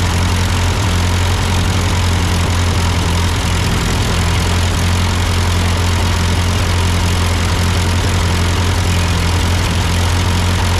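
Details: Ford 8N tractor idling after an amateur carburetor adjustment. Uphill sputtering had been traced to a cheap Chinese replacement carb; an old Marvel-Schebler ran fine. Steady, even low idle with no misses or surging, smooth throughout; a normal idle.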